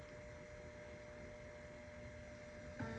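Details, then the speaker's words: PS2 Slim that would not spin discs, lid held down by hand: quiet steady motor whine and whir, then a small click as the disc spins and reads; the lid-closed sensors are not triggering on their own. Normal disc spin and read. "okay so with me holding it down it does spin the disc and it does eventually read the disk"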